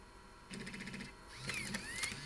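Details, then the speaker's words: Macintosh Classic floppy drive after eject repair and cog repositioning, at power-on: brief motor whir with light chatter, worm shaft spins but heads don't step; drive still faulty, heads stuck though eject works and disks insert easily. "yeah that drive is not fixed something is wrong here but the eject works and the disc is now very easy to insert but something is messed up here"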